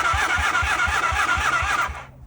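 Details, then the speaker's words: 1978 Honda CB400A Hondamatic 400, sat outside 10+ years, after carburetor cleaning: electric starter cranks about four or five even pulses a second for two seconds, never fires; no spark, flywheel badly damaged. Cause suspected, not confirmed. "it's cranking with the electric start, but no sparky."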